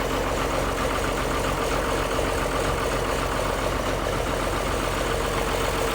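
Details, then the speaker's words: 1955 White (rebadged Oliver 1955) diesel tractor idling after jump-start from a Land Cruiser ute, needed because of poor connections: steady even low diesel beat with no knocks or misses; healthy idle. "But yeah, another old diesel comes to life. I wish you could smell that magnificent diesel smoke through the video."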